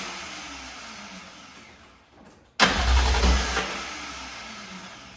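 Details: BMW E36 with swapped S54 engine, first start after fitting the fuel pump fuse: after a short crank it catches cleanly, flares with a quick rev, then eases toward a steady idle; a healthy start.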